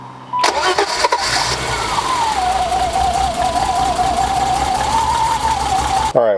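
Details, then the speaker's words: BMW E30 petrol six idling after a coolant sensor replacement, still misfiring with a rough, uneven idle; the misfire was ultimately traced to a clogged fuel rail. "right well as you can see or here the car is still misfiring I mean I wasn't too hopeful that that coolant sensor was going to fix everything"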